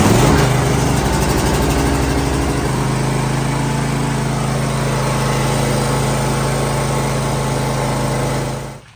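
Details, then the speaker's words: Cub Cadet LTX1050VT mower with 24 hp Briggs engine, 425 hours, first start after battery charge, choke used: catches right away and settles into steady, even beat, no misses or knocks; sounds healthy. "That's okay, it's 24 horse Briggs and sounded great."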